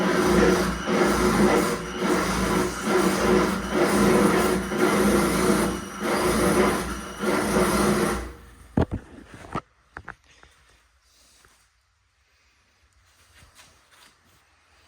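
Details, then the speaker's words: Repaired electric fuel pump with a new harder machined motor shaft, run building pressure against a nearly deadheaded outlet: even pulsing buzz with a rattle about once a second; shaft was wobbling in the shell because the set screw didn't reach the shaft flat. "Can't say that it sounds much better, but I don't know. So, what I noticed was this shaft was wobbling in the shell."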